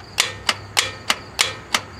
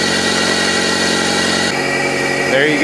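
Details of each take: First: 1997 Toyota Corolla no-start, starter relay jumpered from the driver-side kick panel: six sharp metallic clicks about three a second with no cranking; worn starter solenoid plunger and contacts; bypassed with a battery-to-starter jumper wire. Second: 1997 Toyota Corolla that only clicked due to worn starter plunger and contacts, cranked via jumper wire from battery to starter: turns over, catches and settles into a steady even run, no grinding or misfire.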